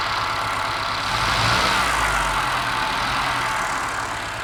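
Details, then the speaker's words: Test engine at steady idle with a lumpy, uneven beat as one cylinder keeps dropping out. Compression test excellent, ruling out a valve, and no smoke; misfire suspected, cause not confirmed. "Definitely missing on one cylinder. I've done a compression test and the compression was excellent, so that rules out a valve actually."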